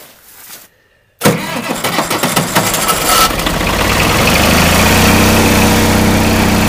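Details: Oliver 770 industrial tractor, cold block at about 40°F, low battery: brief crank, quick catch, steady even idle that builds; clean cold start.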